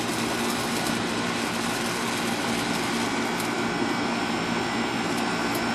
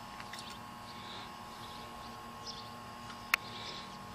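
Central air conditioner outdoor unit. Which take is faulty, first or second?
second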